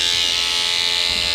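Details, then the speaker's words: 1996 Vauxhall Astra MK3 old electric power aerial, panel removed, radio off; constant high buzzing motor whine that never stops, draining the battery; replaced with a new aftermarket unit; power aerial motor running continuously. "you can probably hear that so it just keeps running"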